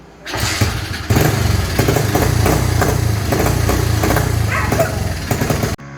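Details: Honda CT70 with newly installed upgraded single-cylinder engine, with oil cooler, first start before test ride: fires up and settles into quick, even popping with no backfire or misses; normal start and run.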